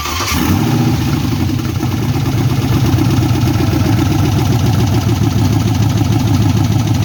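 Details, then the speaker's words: LS-swapped 1979 Ford F-150 dump truck: catches and settles into an uneven, stumbling idle with a light knock; misfire, possibly cylinders two and four, despite spark, fuel, 180 psi compression and swapped injectors; cause unknown. "it's got this little knocking noise in here that you're going to hear and uh I can't figure it out."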